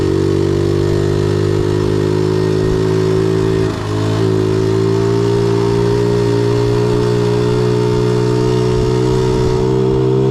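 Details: 1976 Honda Z50J1 Monkey, long troubled by poor running, now idles after work on ignition timing, points and coil. The small single holds an even, steady beat with a smooth tone and no stumbles: a normal, healthy idle.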